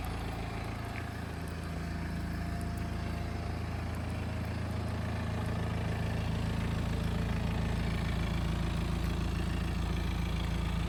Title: N47 318D F31 strange noise on idle